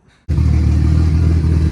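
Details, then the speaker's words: Nissan S14 with newly installed RB25DET head, first startup: catches straight away, settles to smooth steady deep idle with no knocking or ticking; smoke from spilled oil burning off manifold and turbo while warming up; healthy. "sounds good got some smoke from some oil that got all over the manifold and the Turbo burning off she's warming up and drinking a little water"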